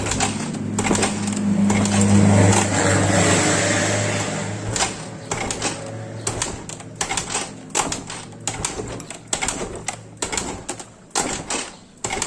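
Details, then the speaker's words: Yamaha Mio Soul GT scooter that would not start after sitting several days: after a new spark plug, the starter whirs then gives short uneven cranking bursts about three a second, but the engine never catches. "Ternyata masih belum hidup."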